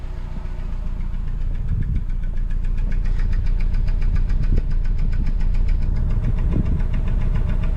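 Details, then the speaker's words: Van with check engine light on and DTC P0302 (cylinder 2 misfire): uneven, lumpy rough idle with irregular low stumble, no power, surging while driving; cylinder misfire, suspected ignition, fuel, oxygen sensor or vacuum hose. "so my wife said that she's driving down the road and all of a sudden the car is just surging or misfiring"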